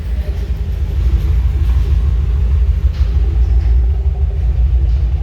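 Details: BMW M5 F10 V8 with 92k km, after check-up (oil changed): deep, even rumble under light revs, no knocks or rattles; feels much healthier than before.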